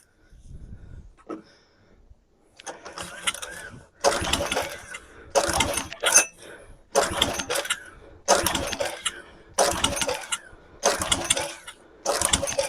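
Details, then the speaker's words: Dead generator (some windings show no continuity) after priming with fuel: repeated recoil pulls about once a second, engine spins over each time but never catches. Cranks but won't start; owner suspects no spark or failed primer, not confirmed. "Nothing. Maybe there's no more spark."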